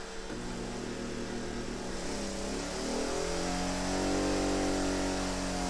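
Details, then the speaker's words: Sportsman 1000-watt inverter gasoline generator running a 5000 BTU window air conditioner at about half load: engine note climbs and holds at a higher steady speed as load comes on, running smoothly without hunting or stalling. "so there we go guys so there's your answer this definitely will run it"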